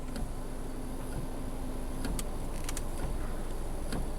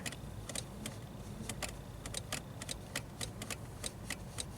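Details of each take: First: 2006 Subaru Outback rear wiper, stuck after an ice storm, recovered its dead spot by running back and forth with no parts: steady low motor whir with light sweep, no clicking, grinding or stalling. Normal rear wiper operation. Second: Subaru Outback rear wiper stuck after an ice storm: sharp, irregular dry relay clicks over a quiet hum when the switch is worked, no motor whir; fuse not blown, wiper motor not running, cause not yet found.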